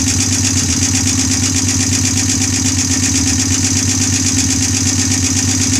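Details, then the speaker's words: Honda bobber build first startup on OEM carburetor (twin carb wouldn't work), no oil leaks. Light rapid ticking about three per second over exhaust beat at idle; owner thinks valves need adjusting again. "sounds like i gotta adjust the valves again now"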